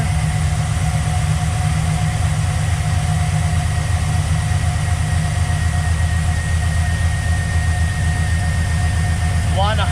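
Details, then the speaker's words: V8 truck idling after fixing a cylinder-four misfire: steady, even low rumble, no stumbles, running smoother with all eight cylinders firing. "I've got it all put back together everything plugged back in hooked back up definitely seems to be running smoother"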